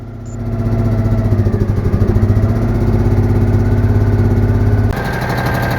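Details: Citroen Mehari air-cooled engine idling after an exhaust leak was sealed, running without its fan in a cold garage; catches and settles into an even, low putter with no puffing or ticking from the exhaust, healthy.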